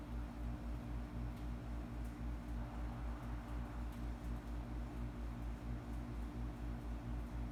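Steady low hum with a faint pulse about four times a second and scattered light crackles on top; the crackle's source isn't clear.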